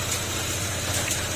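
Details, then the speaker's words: Honda PCX160 after engine overhaul for cricket-like chirping noise (damaged crankshaft and cylinder block), panels off: low steady idle hum with no chirping or ticking; engine quiet and back to normal. "Apakan natin. Okay, back to normal na siya."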